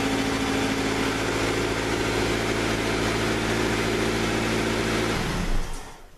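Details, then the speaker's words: 1997 Honda CR-V remote started via Excalibur AL-1650-EDPB in a closed garage: fuel pump cuts on, starts right up, steady even idle hum for about five seconds, then shut off; normal idle. "Parking lights come on, you hear the fuel pump cut on, and then starts right up for you."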